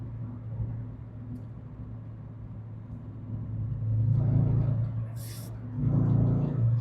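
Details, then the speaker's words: Renault Clio 172 Cup at a Cadwell Park track day, misfiring and running on three cylinders as it had once before after being parked; lumpy, uneven rumble with a regular stumble when revved, spark plugs or coil pack suspected. "It started as as you can hear. It does clear, but oh, it's it's just it's just not 100% right."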